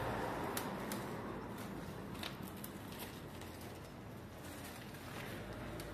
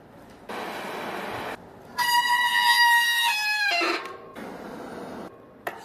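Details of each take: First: Bicycle hydraulic disc brake test after servicing (pads had oil on them; brake cleaned, bled, refitted and adjusted): soft tyre rumble and light clicks while slowing, with no squeal. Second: Bicycle hydraulic disc brake before service: loud steady high-pitched squeal for about two seconds as the brake bites; both pads found oil-contaminated, fixed by cleaning the brake and tightening the hydraulic line bolt.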